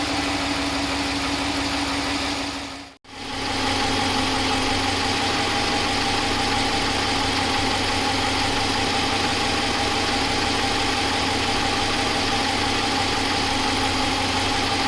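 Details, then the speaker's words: Stock 2015 Ram 1500 5.7L Hemi V8, warm, no Hemi tick or lifter failure: steady smooth idle with a light, even injector tick about four times a second, a normal sound of operation; healthy engine. "hopefully you can hear the normal sound of the fuel injectors ticking that's the one that is that's that's what they're doing it's not a big deal that's a normal sound of operation"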